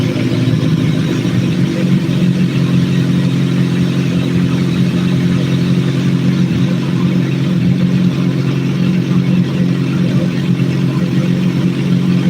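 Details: Motorcycle at hot idle, coolant 160°F or above, after valve adjustment and throttle body vacuum sync: even, steady low burble with no stumbles, misses or hunting; idling smoothly and healthy.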